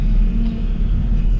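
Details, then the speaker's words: Truck idling with a steady, droning whine over the engine rumble: the power steering pump is whining badly; owner plans to drain and refill the fluid to see if it helps. "Oh, the power steering pump. The power steering pump is whining like crazy. You can hear that power steering pump."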